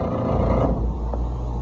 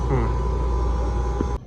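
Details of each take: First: Electro Freeze ice cream machine, second unit, right beater motor run in diagnostics mode: loud, rough low hum with a gritty edge as it starts and settles, sounding like the belt but the motor itself is faulty; faulty beater drive motor. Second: Electro Freeze ice cream machine called in for not freezing, compressor running: steady, even low hum with constant tone, no knocks or rattles; normal compressor running, burnt pump relays found but unrelated.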